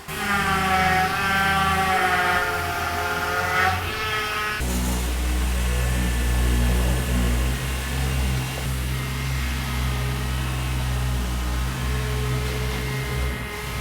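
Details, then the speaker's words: 1999 Ford Explorer, 78,000 miles, rack recently replaced, after adding Marvel Mystery Oil and fresh power steering fluid, test drive: thin high whine over the engine as the wheel turns, steering feels fine but noisy; power steering pump whine. "Driving this thing, the power steering doesn't feel bad. It's just noisy"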